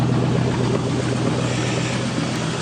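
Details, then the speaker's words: 1967 Chevrolet Caprice with 5.3 LS V8 (over 200,000 miles) on new Holley Terminator X engine management, heard from the rear: deep, steady, even burble without misses or rattles; normal exhaust note at idle. "So that hissing sound is the air being sucked through the throttle body, but it's healthy, and that motor has more than 200,000 miles on it."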